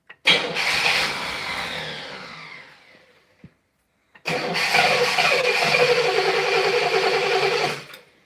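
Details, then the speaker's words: Engine's first start attempt in 30 years, carburettor bowls being fed fuel by hand, choke diaphragm not closing the choke: steady starter churning at about three and a half beats a second, two long cranks with no catch; cranks but won't start, likely fuel-starved. "I'm just gonna keep adding fuel to it until I get enough fuel to fill up the bowls and hopefully run. Provided that's the only reason it's not running."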